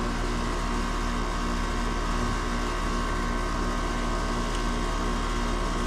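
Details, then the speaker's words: HVAC condenser motor, on a system that wasn't keeping up and had pressures too close together: steady hum with low drone that keeps running and speeds up instead of slowly coming to a stop after shutdown; compressor suspected. "If y'all hear that, it it speeds up when I do that. That thing's supposed to be slowly coming to a stop. So, I'm discovering another problem here."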